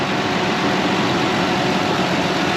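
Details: 2006 Ford Explorer after maintenance with all spark plugs and plug wires replaced: steady smooth idle hum, no misses, ticks or surges; normal idle.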